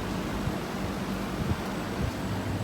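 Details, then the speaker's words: Air conditioner outdoor unit after replacing a failed capacitor that read 48.8 nF; soft, even condenser fan rush over a low steady hum, no rattle or scrape, pressure settling near 125 psi; normal running. "las presiones ahí está trabajando de forma correcta escuchen el ventilador realmente me sonaba hace rato"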